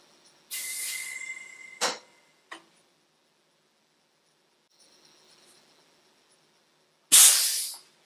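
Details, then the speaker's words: Triumph Herald 13/60 clutch bleed bottle, tested empty with no fluid and pressurised from a tyre. Sharp bursts of air hiss as it fills, then near silence with no steady seep. The bottle seals and holds pressure, with no leak. "so I was able to hear that fill up and not leak so should be safe to use"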